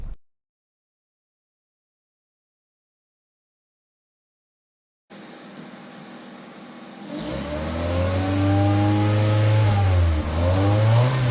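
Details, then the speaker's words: 2000 Honda Civic with eBay header and test pipe (no catalytic converter) after adding a resonator installed in the correct direction; smooth deep exhaust note rising cleanly through acceleration, raspiness virtually eliminated. "i would say it made a huge difference pretty much got rid of all the raspiness all together um and i'm just yeah i'm happy with it"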